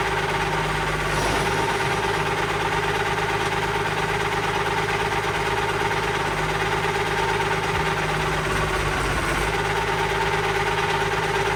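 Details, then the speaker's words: Allis Chalmers 190XT diesel tractor just revived: steady high whine over an uneven idle, same pitch throughout; owner suspects the alternator, possibly the hydraulic pump, unconfirmed. "And then that annoying sound you guys keep hearing, I'm pretty sure is the alternator, so I'll probably get an alternator coming too, and hopefully that noise goes away."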